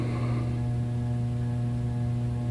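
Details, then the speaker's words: 44-inch Hunter Stratford II ceiling fan, circa 2008, running at medium speed: steady low 60-cycle mains buzz under the running sound; failing capacitor, needs replacing. "obviously the capacitor needs replaced so I shall do that when I get time that's why you hear the 60 cycle hum that's emitting"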